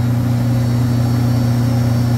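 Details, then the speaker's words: Walk-in freezer, 207 V measured with three-phase power on all legs: loud steady low hum with a heavy drone and no cycling, compressor very hot and suspected off on thermal overload; abnormal compressor hum. "That compressor sounds like death right there. So let's turn off power and hope that this guy's off on thermal overload."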